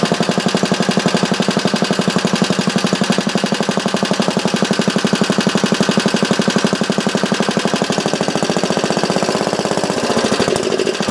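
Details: Small engine clamped to a bench on a temporary gas tank, test run through a newly cast muffler with a baffle sandwiched in: fast, even popping exhaust beat holding steady, slight lift near the end; normal running.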